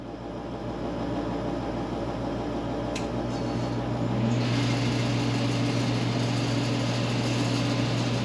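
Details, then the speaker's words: Forced-air garage heater, noisy since it was installed; the fan spins up with a rough buzzing, vibrating rattle over its hum. "so it's kind of like a vibration almost like a rattle sound and you know I went through it and checked and I couldn't find anything"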